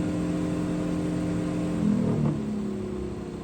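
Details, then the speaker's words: 1969 International Harvester Scout 800 heater blower motor after penetrating oil and Blaster fix for vibration: smooth steady whir stepping down in pitch from high to low speed, quiet and even; owner unsure how long the fix lasts. "That's low. And there you have it, folks. Fix the vibration with a little International Harvester penetrating oil and also some blaster."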